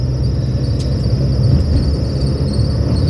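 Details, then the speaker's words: A 1996 Toyota Paseo being driven has a sticky pulley on the accessory belt. It makes a thin, steady high-pitched squeal faintly above the road rumble. "And you can hear my squealy belts, can't you? It's one of the one of the pulleys on the accessory belt is um sticky. It squeals."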